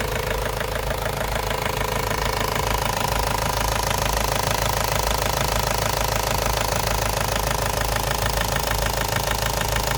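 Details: Ford Focus mk1 1.8 TDDi diesel at idle: a sharp, regular knock taps steadily above the normal clatter (engine knocking, later solved).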